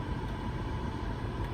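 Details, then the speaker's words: 2000 BMW E38 740iL cabin blower after replacing the blower motor and blower resistor: a steady airflow rush with a faint constant hum, no ticking, scraping or wobble; it runs smoothly. "Yay, she works like she's supposed to. So you can hear the blower."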